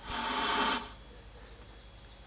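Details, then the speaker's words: Thorn 9338 portable CRT TV, Mitsubishi-made circa 1980, at power-up: short EHT crackling rustle, then a faint high whine settles in; normal switch-on, set working. "Sounds like everything's going. I can hear the EHT crackling."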